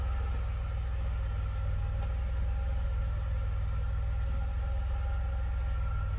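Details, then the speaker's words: 1982 DeLorean DMC-12 with 5-speed manual, warmed up, nobody in the car. Steady, even low idle with a smooth, regular pulse and no misses or knocks. About 750–775 rpm, near the roughly 750 factory setting; normal. "kid idling just it's probably at 7.50 it's probably what it's 775 whatever it is right i think the original idle speed ecu is set at like 750 hard from the factory so that looks about right"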